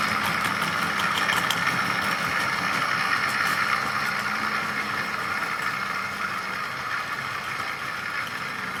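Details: Tri-ang R.152 Class 08 diesel shunter model loco, test bed with ball-raced converted Tri-ang X04 motor (ball race in rear bearing next to magnet), hauling tanker wagon rake slowly, drawing about 0.24 A; steady even hum with light rail-joint ticking, now sounding much happier, normal running.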